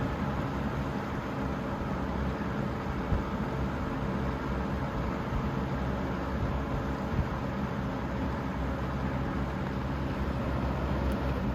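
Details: 3-speed fan on high, motor previously repaired after falling apart; steady low droning hum with constant airflow rush, unchanged throughout; unusually loud motor hum which owner attributes to its many hours of use.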